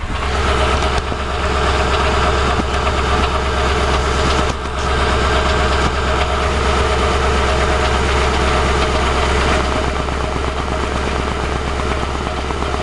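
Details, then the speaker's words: 2006 CVPI, drive-by-wire, nearly empty fuel tank: steady idle with a slightly uneven, shaky pulse; throttle body shivering; engine itself seems quiet, the noise comes from around the catalytic converters; rough idle, cause undetermined. "the engine seems quiet itself that noise you hear is down there around the catalytics"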